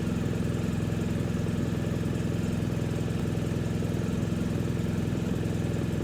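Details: BMW R1250 GSA boxer twin idling just after radiator guards were fitted, checking for vibration or rattles; smooth, even idle with a steady low thrum and no loose rattles, guards feel solid and engine sounds healthy.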